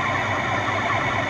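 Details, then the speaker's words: Lathe turning a relief cut on a trapezoidal tap blank between centres, using the compound slide; shaft vibrates with steady buzzing hum and rough edge from the wide cut width; moderate chatter, normal and acceptable. "Je sais pas si vous entendez, mais l'arbre vibre. On entend un bruit de vibration, d'accord?"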